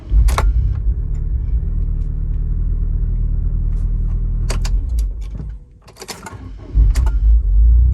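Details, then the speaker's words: 2003 Land Rover Freelander 1.8 after starter motor was stripped, cleaned and greased to fix bendix gear grinding on overrun: starter engages, engine settles to even rumble with no grinding; fixed. "And here's the noise of it starting, or rather making no noise after the initial starter motor engages, so the problem is fixed."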